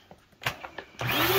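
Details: Bissell vacuum cleaner after belt replacement, on third setting: after a few taps the motor spins up smoothly to a steady rising whine with even brush hum, no slapping or squeal; running fine, beater roller restored.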